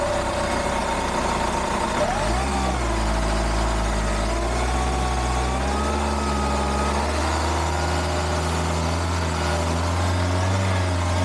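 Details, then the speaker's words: Hyundai iLoad D4CB diesel, reconditioned engine a year on: three starts, revving from 1,000 to about 3,000 rpm, smooth and solid with no rattles or knocks; healthy, though blowing some black smoke, tune planned. "okay so that was uh three starts riving it from 1,000 up to about 3,000 um it sounds good sounds like a motor should sounds uh powerful sounds uh solid I can't hear anything rattling too much or anything"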